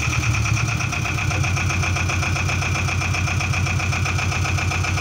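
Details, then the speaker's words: Boat engine running after generator replacement and belt tensioning, charging light out; steady even idle, constant low beat, no squeal, rattle or flapping belt, meaning belt tension is good. "Yeah, when you start the engine, you need to check that the belt isn't flapping around. That means you have a good tension."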